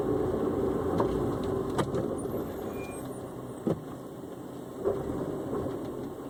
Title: S2k clunking sound